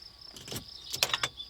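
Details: L322 Range Rover (early keyed TD6, not keyless TDV8) after a WD40 fix for a stuck ignition key: crisp metallic clicks as the key goes in, with a quick snap of the steering lock releasing each time; the steering lock solenoid now works freely.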